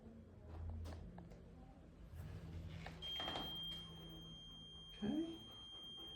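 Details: Cold laser therapy unit treating a dog patient. A thin, steady high tone comes in partway through and holds over room noise as the laser moves normally into its next treatment phase.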